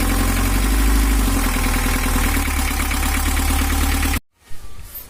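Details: 1982 Toyota Hiace LH11 diesel with overheating complaint, after injection pump timing adjusted one tooth and rough sound addressed: even clatter about four beats a second, smooth with no misses, then shut off; normal idle.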